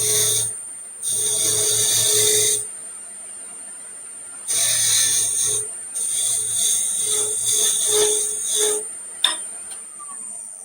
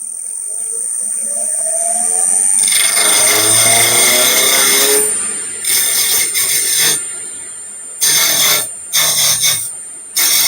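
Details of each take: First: you can hear the the sound getting lower and lower as it passes by as you get closer and closer to the to be around Second: Lathe turning an out-of-round blank in a chuck with serious run-out: motor spins up with a rising whine, then choppy rattling cutting bursts start and stop as the tool bites; the sound lowers as the piece approaches round.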